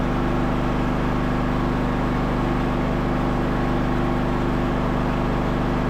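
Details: Craftsman LT1000 riding mower revived, running and driving in gear: steady, even single-cylinder drone with no misses, knocks or surging; the engine runs smoothly, but the brakes don't hold on a hill.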